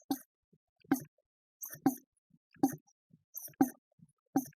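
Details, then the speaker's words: Leybold D16B/D25B rotary vane pump after rebuild, turned by hand once the stage bolts are tightened: soft, even puffs about once a second; stages compressing properly, sounds like a healthy pump. "Now I should be able to turn this freely and you can hear now it sounds like a pump."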